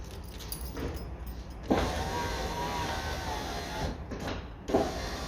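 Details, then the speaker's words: 1999 Seat Toledo Mk2 1.9 TDI AHF 110hp power window after repair: smooth, even motor whir about two seconds each way ending in a soft stop thump, no rasping; the noise came from a cable badly wound on the motor and is gone. "y como veis ya hemos quitado este molesto ruido que tenía la ventana Al subir bajar puesto que era el cable que estaba mal enrollado en la del motor"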